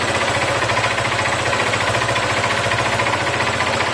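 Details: Yamaha FZ 08/08 motorcycle at idle: sharp metallic knock three to four times a second, internal metal-on-metal tapping that began shortly after an oil change; cause unknown.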